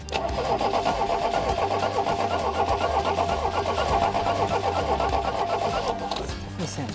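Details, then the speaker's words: Fiat 125 1.6L twin cam, run after years sitting, fitted with a new rotor and distributor cap: uneven, stumbling running with ragged firing pulses and a harsh rasp; ignition timing about 180 degrees out, firing retarded at the bottom of the power stroke with the exhaust valve open. "It seems like it's really retarded and it's firing at the bottom of the power stroke. That was what would caused that, because the exhaust valve's open."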